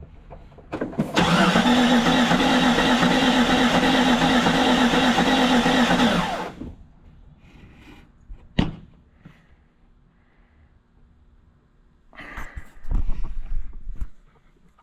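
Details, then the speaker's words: 1999 Jeep Cherokee XJ, engine said to be bad, cranking on starter: fast even cranking with a lopsided skip, seems compression on only four of six cylinders; suspected blown head gasket between two cylinders, not confirmed. "it's rotating off really nice it sounds like it's missing compression on a couple of cylinders"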